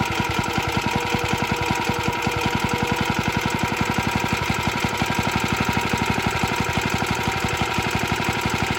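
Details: Very early 1954-55 Suffolk Iron Foundry Model 1A single-cylinder engine, cold, original carb needs cleaning: rapid slightly uneven clatter over steady beat; runs but rattles, cause not pinned down.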